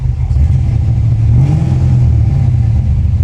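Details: 1989 Foxbody Mustang GT V8 with major low compression, effectively running on five cylinders: a flat, uneven rumble through a quick rev, yet it holds an idle and oil pressure is good.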